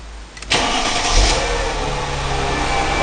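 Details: Mercedes W203 C320 after fuel pump replacement (previously lost power, wouldn't accelerate, stalled, then wouldn't run): brief crank, then catches cleanly and settles into a steady, even idle with no stumble; starts and runs normally.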